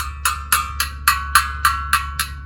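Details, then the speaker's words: Tap test on a well water pressure tank: about ten sharp taps moving up the tank, dead sound low, hollow tinny ring at the air-filled top; bladder holding its air charge, normal. "you can actually tap on the side of this tank and just listen to the sound and you may hear it in the video that will tell you hear how dead that sound is now as i go up the tank you're gonna hear it more"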